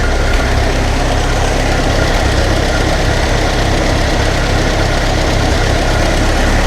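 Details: Ferguson TEA20 barn-find tractor first start after an engine rebuild and a new distributor condenser, on choke, a little throttle and a temporary petrol can: low, uneven idle with loose irregular knocks three or four a second, timing still to be set.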